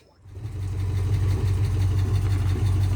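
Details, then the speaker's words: 1971 Ford V8 first start after 27 years sitting, fed from a small temporary gas tank; vacuum line open at carburetor rear, needs spark plugs; settles into a fairly even idle with steady low burble, running acceptably. "I need some spark plugs, but it's running. It's running better here. Got some antifreeze in it. Not bad."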